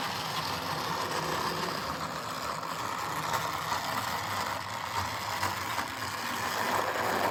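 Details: Old Jouef (or Playcraft) HO scale Class 21/29 model locomotive: loud, harsh buzzing whirr with an uneven ratchety rattle from the small motor and gears; loud rough running, likely as good as it gets without a replacement motor.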